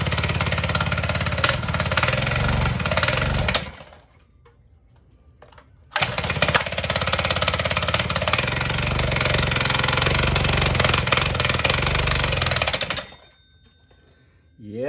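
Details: Tiny kid's motorcycle after reassembly with a spare spring: the small single-cylinder buzzes at a steady, even idle in two stretches with a pause between, clutch disengaged. It sounds healthy.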